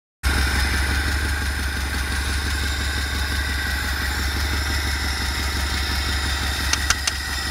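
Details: BMW E30 M10B18 four-cylinder at steady idle with a faint, irregular tapping now and then; intermittent engine knock, cause unknown.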